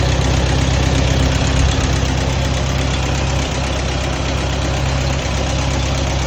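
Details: Allis-Chalmers WD tractor engine idling normally just after starting cold in a shed at about 35–36°F, choked then choke pushed in, air drawn through oil bath cleaner after fuel sediment trouble; deep steady even thrum, no misses, running good.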